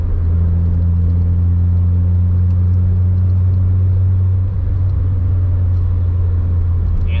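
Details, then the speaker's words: Honda EK Civic hatch at about 65 mph after sealing door and mirror-area gaps: deep steady road rumble, only slight wind noise and no whistle, far quieter than before; normal cabin wind noise at highway speed. "we're only going about 65 at the moment I can hear a little bit of wind noise I've got about 85. but that's a lot better than it used to be you can hardly hear it"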